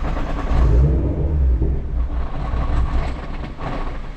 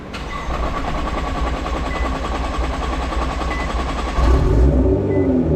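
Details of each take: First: Nissan R35 GT-R with fuel pumps unplugged before replacing them with AEM pumps: engine cranks, catches and revs briefly on leftover fuel, then fades as line pressure bleeds off; normal on the first crank. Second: Nissan R35 GT-R start after fitting two AEM high-flow fuel pumps: short wait with repeating chime for fuel pressure, then quick catch and even idle; normal start, fuel delivery healthy.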